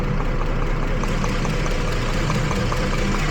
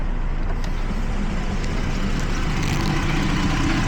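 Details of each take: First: 2012 Jeep Liberty 3.5L V6 at idle after coolant from a loose radiator bleed plug soaked the engine bay: rough, stumbling idle, misfire on cylinders 1 and 5, with sparks arcing in the waste-spark ignition system. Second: 2012 Jeep Liberty 3.5 L V6, after fixing a coolant leak (untorqued radiator bleed plug) that soaked the engine bay and caused cylinder 1 and 5 misfires: smooth, even idle with steady rumble, no miss or stumble.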